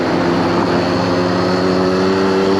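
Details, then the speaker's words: 1981 Honda Motocompo on a 20+ mile ride, throttle open climbing a hill at about 30 km/h: steady, even buzzing drone with no bogging or misfire; not struggling, the engine pulls fine. "but the motor sounds fine. It sounds like what it wants to be doing."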